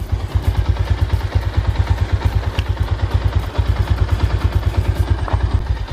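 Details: Yamaha SZ single-cylinder motorcycle after disabling the air-injection (EIS) system at intake and exhaust to cure backfiring: even, steady idle thumping with no exhaust pops or bangs; normal idle, backfire gone.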